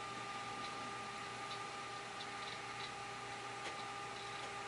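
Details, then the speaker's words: Amiga 2000HD power-up testing the power supply and internal floppy drive: faint, irregular soft ticks of the floppy head stepping over steady fan hum as the hard drive spins up; normal healthy drive seek noise. "So the drive is making nice noises. The hard drive is coming up."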